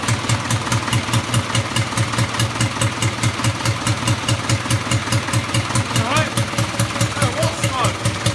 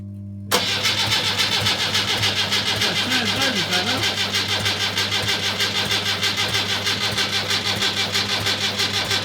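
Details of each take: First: Rebuilt Land Rover Series III diesel, first start after rebuild with adjusted injector pump timing: steady clatter about two beats a second, evenly spaced, no misses, not smoking much; runs and sounds good, normal diesel idle. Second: Rebuilt Land Rover Series III diesel, first start after rebuild, injector pump timing just adjusted, glow plugs preheated: brief crank, then catches into a lumpy pulsing idle with hard clatter; slow diesel start.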